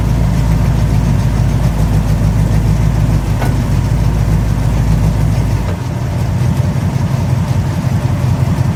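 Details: 1969 Plymouth Fury III V8 idling; transmission still leaking: deep, steady, even rumble with no knocks or misses; normal idle.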